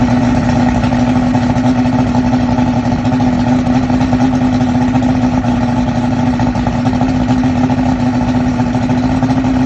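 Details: 2001 Yamaha OX66 150 outboard with a remanufactured powerhead at 70 hours, on a flush hose: coming off fast idle it drops to 400–500 rpm with uneven, blurping exhaust-hub burbles, near stalling. Fuel rail holds 36 psi.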